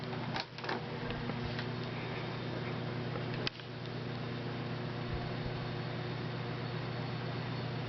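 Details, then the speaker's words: 1990s Galaxy 16-inch oscillating table fan that screeched before cleaning and oiling: steady smooth motor hum with switch clicks through speeds up to high, no squeal or rubbing; normal fan running. "i got it oiled cleaned and it works perfectly"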